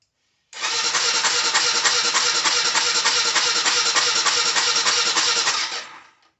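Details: Honda 400EX that died while riding, spark plug found loose: steady fast cranking about three turns a second for five seconds, never catching or firing; crank-no-start.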